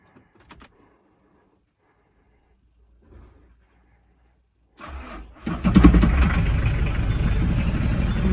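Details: Citroën Berlingo 1.9D diesel after bottom crankshaft pulley replacement (110 Nm): short crank catches into a steady, even idle, no knocks or misses; healthy, apart from slight exhaust knock when first started.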